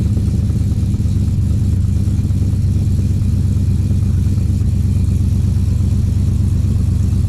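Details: Freshly swapped 6.2 V8 in 2013 Silverado GMT900, in break-in before break-in oil change, cold idle: deep even burble, no ticking or knocking; quiet, holds oil pressure, runs smooth and healthy.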